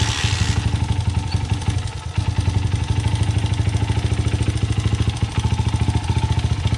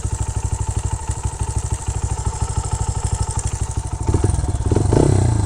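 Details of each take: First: 2009 Honda CRF80F dirt bike with Pro Circuit exhaust, revived after sitting. Fast, even idle has a light top-end tick on each beat. Owner suspects valves or timing chain slap. Heard before turning the timing chain fine-tune adjuster bolt. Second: 2009 Honda CRF80F single-cylinder dirt bike with Pro Circuit exhaust, just revived after sitting and valves freshly adjusted, started first kick: quick even thumping at idle while warming up, then a clean smooth rise on throttle; normal healthy idle.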